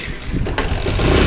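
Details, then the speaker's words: Very old Bajaj Discover 150 bike engine after full rebuild and gearbox fitting, previously noisy and cracked-sounding: catches quickly and revs up cleanly and evenly, no knocking or rattling; now sounds healthy. "पूरा बंद हो गया इजन एकम पूरा एकदम अच्छा हो गया sound"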